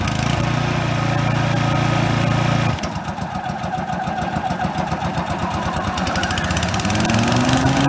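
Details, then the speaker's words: Brand new Toro TimeMaster model 21200 electric-start mower, first start: steady single-cylinder idle, then the note drops and turns choppy as the blades engage, after an initial delay, before picking back up; normal idle and blade engagement. "this is me starting the mower for the first time just want to hear how it sounds when it idles and then I'm going to let you hear how it sounds when you engage the blades"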